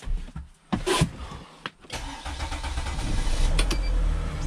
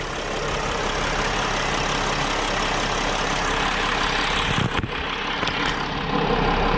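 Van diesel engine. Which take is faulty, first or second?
second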